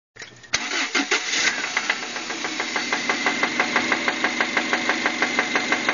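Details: 1999 Subaru Outback 2.5L DOHC right after start-up: sharp, regular knocks about three per second over the idle, which began suddenly that night. Owner suspects rod knock; unconfirmed.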